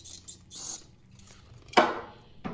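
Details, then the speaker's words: 1995 Dodge/Chrysler 3.3 L engine, pulley removed and spun by hand after brake-cleaner cleaning: quiet, scratchy, sandy rasp from a gritty bearing, with handling clatters; the pulley had been knocking on the belt. "so I tried cleaning this side out first and listen it sounds kind of like it's got sand or something in it"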